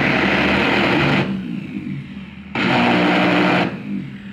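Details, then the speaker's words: Truper router that hummed but would not start, powered directly with its electronic board bypassed for testing: two short full-speed bursts with a harsh, gritty high whine and rough hum. The board caused the lockout, and the field windings are shorted. "si se dan cuenta amigos la herramienta Ya está trabajando pero es decir El problema del bloqueo estaba en la tarjeta electrónica si ustedes se dan cuenta tenemos otro problema que ya no es propiamente el bloqueo de la tarjeta sino que ya los campos están en cortocircuito"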